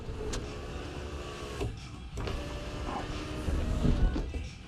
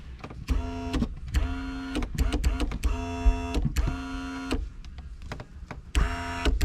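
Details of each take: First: 1999–2005 Pontiac Grand Am sunroof after the motor was swapped and grease added to the chambers. Even motor whir as the glass travels, with only light clicks at start and stop. Normal, smooth operation. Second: 1999–2005 Pontiac Grand Am sunroof opened fine, then closed crooked and started clicking. The motor whirs in bursts with sharp clicks. The motor is suspected bad, with the panel running crooked in its tracks.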